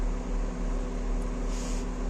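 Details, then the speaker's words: 2012 BMW X5 E70 petrol, previously misfiring, especially cold, after ignition coil replacement: steady smooth idle with even low hum, no stumbles or misses, running normally. "Машина зібрана, працює відмінно, мотор урчить суперово."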